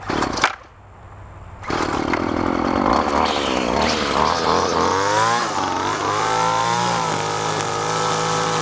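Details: Craftsman straight-shaft two-stroke string trimmer salvaged from curbside, carburetor high-side adjusted after four-stroking too rich: pulls to a high steady scream while cutting weeds, dipping slightly under load without bogging; normal running.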